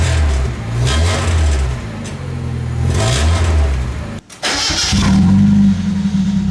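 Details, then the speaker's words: 1990 Mazda Miata, replacement exhaust fitted after a new catalytic converter failed to cure a rattle: engine starts and revs in deep, raspy pulls, no rattles or blowing; loud, slightly ricey but healthy exhaust. "a little ricey really l loud huh"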